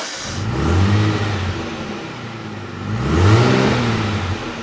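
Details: Aston Martin DB7 after new rear muffler ends were fitted, lowered and started: a strong deep note that swells with two throttle blips and settles back cleanly; normal running with a sound exhaust.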